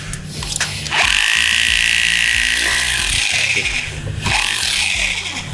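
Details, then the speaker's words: Mollar HD826 800 W SDS Plus hammer drill with a 12 mm SDS bit drilling through cast concrete: fast, even hammering rattle with a high hiss, steady under load; drilling properly. "Oke kita ganti ke mata bor biasa mata bor sds-nya kita pakai ukuran 12 yang paling besar tadi bawnya kita coba lagi Oke sambil tembus ya kita coba di betonan corcoran"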